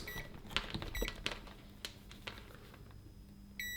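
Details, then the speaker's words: Multimeter continuity test on the second thermal fuse of a dead, nearly new bread maker with no power: short high beeps, then a clean sustained tone, so this fuse is intact. Owner suspects impact damage, such as a fall from a counter, blew the thermal fuses. "fantastic still working now this probably happened because it was probably knocked off maybe a counter when it was on and that would be enough to blow the thermal fuses"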